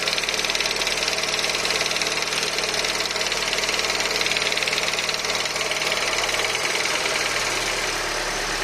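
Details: Peugeot RCZ THP 200 just after a cold start: fast, hard metallic rattle at idle sitting high over a quiet engine, steady throughout. Origin unknown.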